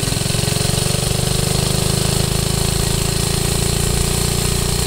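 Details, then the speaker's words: 1969 Taco minibike with original centrifugal clutch going bad, losing power when trying to gain speed: small engine pulses fast but stays labored and low, bogging under the dragging clutch strain, not an engine fault. "that's clutch stuff that's straining up the engine so that's what that means"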